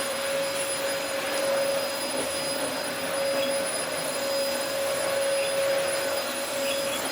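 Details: Early-2000s Dyson DC04 special edition vacuum, first run after reassembly: steady even high whine with no surging or scraping; motor runs fine, suction acceptable, filters clean, brush roll has no drive.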